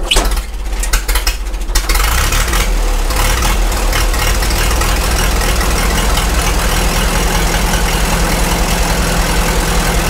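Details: Caterpillar Ten tractor, first start after long storage, primed, choke three notches: catches after a few rough seconds and settles into a steady, low, even idle with no knocks or misses; normal idle.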